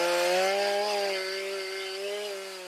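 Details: Stihl MS310 chainsaw on a cold start after a no-start fix needing no parts and rakers lowered: smooth two-stroke buzz holding a steady high pitch, tailing off gently without stumbles; normal running.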